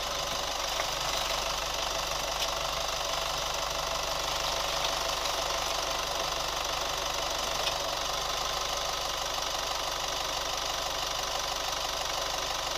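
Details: New Chevy Colorado at steady idle: light quick valvetrain-type ticking about three per second; cause not yet pinned down.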